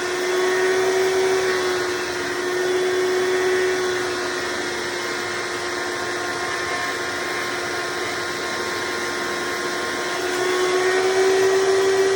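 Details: Hoover Decade Soft & Light Elite vacuum (owned since May 2024), first run after replacing 7-bladed fan impeller with 20-bladed upgrade, bearings already greased: loud steady rushing whir, constant tone, no rattle; noise mostly reduced but still somewhat loud.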